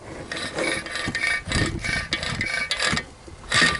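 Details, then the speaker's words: Old heater/AC blower motor removed from Ford F250, spun by hand, gives dry uneven rasping and scraping with no smooth freewheel; the motor is seizing and needs replacing. "now this is my old motor it's like sees pretty good you can hear"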